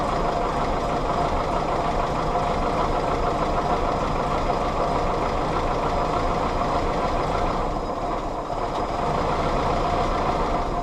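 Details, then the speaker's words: Willys CJ2a Jeep L134 four-cylinder running lumpy and uneven at low speed, dying as soon as throttle is given; owner suspects missing distributor vacuum advance; coolant also leaking onto starter. "it's also dying immediately as a as soon as I give it any sort of gas could be because I don't have the vacuum advance on the distributor but it's running"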